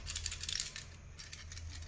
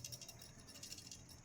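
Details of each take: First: Samsung refrigerator with a cooling problem, start relay removed and shaken by hand: a loose, tinny coin-like rattle inside means the PTC disc has broken, so the relay needs replacing. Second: Samsung refrigerator with cooling problem, PTC start relay removed from capacitor and shaken: only a faint, light rattle, not the loud clatter of a broken pellet; relay good, continuity test confirms.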